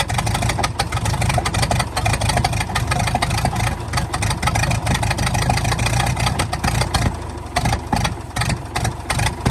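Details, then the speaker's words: 1929 Ford Model A four-cylinder, abandoned 75+ years, running on starting fluid: fairly even tick-over broken now and then by sharp pops from the exhaust valve, nothing major. "well I got to say she's running pretty good it is every now and again popping out that exhaust valve again but nothing too major"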